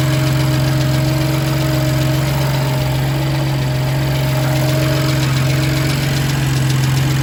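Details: BMW M2 Competition S55 engine during cold startup: steady cold idle with a fast, fairly even light tick about three or four per second over the engine note; engine ticking, source unknown.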